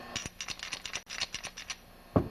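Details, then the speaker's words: Removed Comet LWD-K 3020 pressure washer pump, made in Italy, shaken by hand: sharp, uneven clicks and rattles from loose parts inside; opening it shows everything inside broken. "now the first thing that doesn't sound good about this pump is if I shake it you can hear noise"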